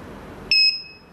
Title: Alarm System Beeping Sound?